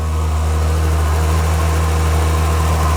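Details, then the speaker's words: 2010 Volvo XC70 T6 on its first cold start with a custom fabricated air intake without the resonator: steady, even cold idle with a deep drone and a clear airy intake rush on top, in a loud engine bay. Runs smooth; the intake is simply louder. "So first cold start with the new intake. Let's see how it sounds. Let's see how it makes a difference with the non-resonator part. Let's go. Oh yeah, you hear the intake noise a lot more."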